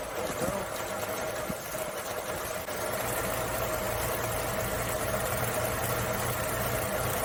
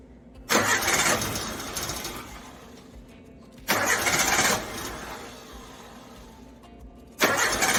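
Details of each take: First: Carbureted Suzuki Samurai (SJ410/SJ413) after troubleshooting, in cooler evening air: after a couple of pedal pumps it starts and keeps ticking over at an uneven but steady pace under outside noise. Normal idle. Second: Suzuki Samurai carbureted engine after breakdown, power valve replaced and carb cleaner sprayed into primary chamber; three separate one-second cranking bursts with no firing, crank no start, cause still unknown.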